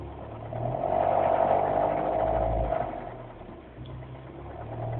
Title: Mini Cold Start Rattle